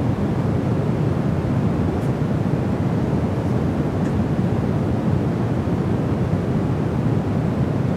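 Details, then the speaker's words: Rodecaster DUO with Sennheiser MKE 600 shotgun condenser mic, silent input: loud steady low rushing noise floor, not hum, far above normal; owner suspects faulty 48V phantom power. "it's like this low-l noise floor"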